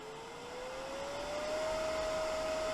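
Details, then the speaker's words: Wood lathe mistakenly left on the low-speed belt step: at the dial turned right up, motor whine rises in pitch then levels off low, topping out far below its 3,000 rpm maximum. "I've left my lathe on the lowered gear settings. So like maximum speed at the moment, if I turn mine right up,"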